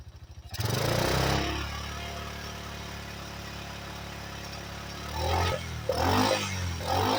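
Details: 1985 Yamaha Moto 4 ATV after old carburetor replaced with a new one; single catches, settles into a steady idle, then picks up cleanly on a couple of blips, no misses or clatter: normal running, apparently fixed.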